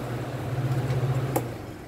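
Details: Mallory fan that was noisy and weak, after repair and lubrication, unplugged: steady low hum winds down smoothly, no scraping or knocking; fan spins freely, problem fixed.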